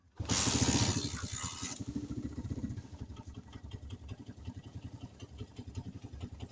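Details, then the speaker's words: 1990 GL Max, 58,000 km, fully original engine, after fitting an old-stock NGK spark plug and a new aftermarket CDI: starter burst, then a steady, even single-cylinder putter about three to four beats a second; idle stable. "stabil cukup stabil jadi kadang-kadang saya melakukan kesalahan diagnosa e karena terlalu percaya dengan cdi-nya padahal cdi-nya itu e yang gak benar businya yang disalahin"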